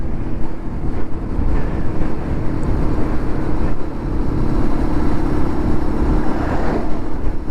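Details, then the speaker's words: Lexmoto LXR 125 SE on the road at steady speed: steady low engine drone under road and wind noise, no rattle. Runs clean; the recurring rattle turned out to be the exhaust manifold and is now gone. "It was the exhaust manifold then. Oh, it's so strange."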